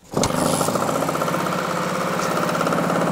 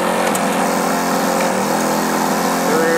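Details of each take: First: 1966 Yamaha YL1 Twinjet 100cc two-stroke twin from a junkyard: runs with a steady, slightly flat, choked buzz while leaking fuel from the drain; owner believes the exhausts are clogged, unconfirmed. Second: 1966 Yamaha YL1 Twinjet 100cc two-stroke twin, junkyard find: busy crackly buzz holding steady fast idle, slight rise at end; normal running.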